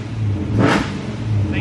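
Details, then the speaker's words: Car called Onyx after a repair, coolant at 121 degrees so not fully cold. A quick throttle blip rises crisply and drops straight back to a smooth idle. Clean, snappy throttle response. "pretty snappy oh how i've missed it so much"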